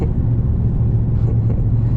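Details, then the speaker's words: Mercedes E55 AMG with long-tube headers, stock muffler, 77mm supercharger pulley, 92mm Hellcat throttle body, on 80° day at drag strip: after a pop, loud raw flat low rumble while driving, no muffling; exhaust cracked or blown, owner suspects O2 sensor blown out. "What the heck just broke? Sounds like something just cracked my exhaust."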